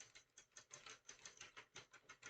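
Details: Hand-cranked knitting machine knitting a hat, yarn tension initially a little high: light, even clicking about five or six beats a second, every stitch catching cleanly; normal smooth cranking.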